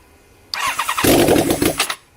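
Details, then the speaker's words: Honda CBR1000 Hurricane four-cylinder, first start after carb rebuild and bench sync, on choke since it won't start without; short starter whir then fires crisply and revs evenly, clean healthy start. "all right we're gonna see now if it fires up the answer is yes yes it does"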